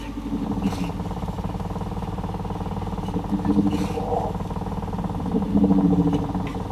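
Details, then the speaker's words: 1960s Sony Tapecorder mono valve reel-to-reel under restoration, with valves warming up; oscillation noise appears only at high volume, cause not yet found. Rough buzzing hum with wavering whistly tones drifting in and out. "wow sounds like we got some weird oscillations or something yeah I think we do"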